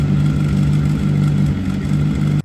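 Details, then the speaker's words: 2007 Suzuki GSX-R750 wrecked-bike rebuild idling up to temperature: fast even light rattle over the exhaust pulse; owner suspects a bad cam chain tensioner, radiator also leaking, oil residue burning off. "Sounds like we've got a bad tensioner. Bad tensioner."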